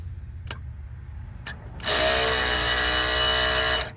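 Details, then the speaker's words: 1999 Lincoln Continental with ABS code C1095: ABS pump motor unplugged and jumped straight to the battery gives a couple of clicks, then a steady high whine for about two seconds that stops cleanly. The motor runs, so the fault is elsewhere, suspected wiring or connector voltage. "the motor does run. So now that you see that the motor is running, there's probably something else going on."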